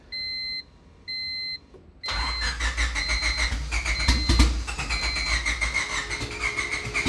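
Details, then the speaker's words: Turbo Honda EK Civic with new fuel injectors and Hondata S300 ECU: two chimes, then the starter churns steadily about three turns a second and it never catches. Crank-no-start; owner suspects the tune dumps far too much fuel, with spark plugs found fuel-wet. "all right so we don't have any luck with the new ECU or thinking it's just an issue with the current tune with the new fuel injectors maybe it's just jumping way too much fuel"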